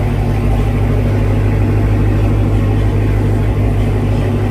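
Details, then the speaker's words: MBRP race exhaust at a steady, even low idle hum with no rattle or buzz after securing the module brackets; the rattle came from the brackets, not the exhaust. "the whole time I thought it was the metal bracket on the exhaust it wasn't exhaust at all it was the freaking brackets"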